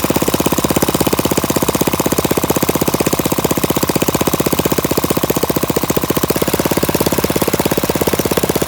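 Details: Flathead Briggs minibike engine, unmuffled, after carburetor mixture screw adjusted about a half turn out: rapid sharp even popping at steady speed, no misses; normal running.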